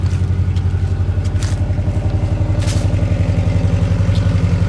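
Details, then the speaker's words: 1971 Saab 95 wagon, four-speed column shift, cold start in neutral with gas pumped twice and choke about one-third on: engine holds an even, pulsing idle with no stumbles or knocks, no smoke, running strong. "it's not smoking it's a good strong"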